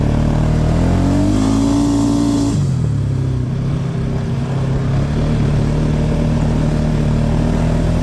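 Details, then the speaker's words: 2018 Polaris Sportsman 570, previously in limp mode (code 520 194-2, open throttle safety switch) fixed with two resistors: revs climb smoothly, then settle to an even idle, no hesitation or misfire; out of limp mode, running healthy. "so far this here worked and it's out of limp mode so just two little resistors fixed it"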